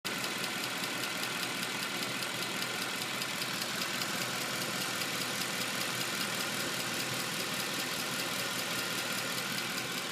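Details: 2010 Mercedes C63 AMG V8 at idle: a quick, even ticking at about two or three ticks a second rides over the engine; owner does not know the cause.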